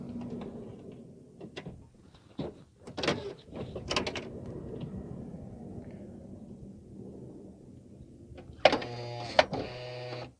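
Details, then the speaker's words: 2008 Honda Odyssey with about 160,000 miles, rear power sliding door after a washer fix on the arm. Clunks as it moves, steady motor hum, two firm latch thumps; the arm returns to position and the door closes normally. "closing it see the arms in the right position door shuts fine"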